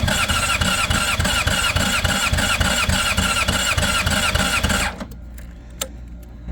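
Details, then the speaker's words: 2005 Honda CBR600RR, about 38,000–40,000 miles, after long storage, weak battery with booster: steady fast starter churning, nearly catching, then cut off, injectors still filling; it starts shortly after. "Put the booster on. Let's try it again. Oh, it almost hit it. Come on, baby."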